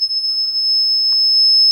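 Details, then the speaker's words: Shadow detector with a green laser grid light about six feet away: an unbroken high-pitched beeping. It keeps sounding because it isn't picking up the laser beam. "as you will notice it is beeping but the blue light came on and then went off but as it is there's the blue lights coming back on it just comes and goes it continues to beat because it is not picking up the green light at the other end of the room"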